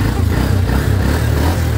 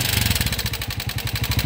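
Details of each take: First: Honda TMX 125 Alpha single-cylinder motorcycle after repair: even low thumping beat with the earlier clatter gone; normal, smooth running. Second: TMX 125 Alpha motorcycle engine revved then idling with harsh metallic clatter over every firing pulse; severe internal wear, suspected run low on oil and now burning oil.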